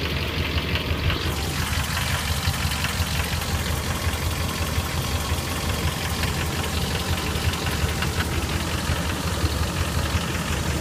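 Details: 2003 Dodge Ram 1500 4.7 V8: loose, uneven knocking at every cold start, then a light tick once warm. Loudest on the passenger side. Owner suspects a broken exhaust manifold bolt; lash adjusters or timing chain also considered.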